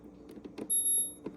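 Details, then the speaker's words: Refrigerator water dispenser with a good switch, firmly pressed: a clean half-second buzz as the switch and valve engage normally, unlike the faulty wobbly switch that triggers at a slight touch. "So the sound that you're hearing is when the button activates, that's when you hear the sound."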